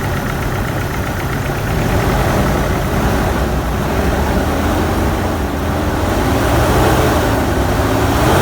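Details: 2006 GMC Canyon 2.8L 4-cylinder 4WD after timing chain repair, at idle: uneven, lumpy beat with a recurring stumble over a steady rumble. Cylinder 3 isn't firing, likely from an ignition coil broken during removal.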